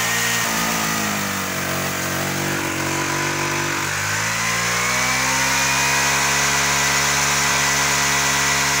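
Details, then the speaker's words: Kymco 125 fuel-injected scooter, suspected failed engine control unit: buzzy single revs slowly and unevenly, pitch dragging and sagging under throttle; poor acceleration, suspected too much air and too little fuel. "fa strano ma va malissimo troppa ai e poca benzina"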